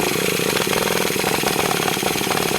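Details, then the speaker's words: Traxxas T-Maxx 3.3 nitro truck on its first run, with stale fuel: a fast, high, steady starter whir that never catches the engine. The starter one-way bearing is slipping, and an air leak is suspected. "Starter's the one-way bearing absolutely slipping. You can hear it."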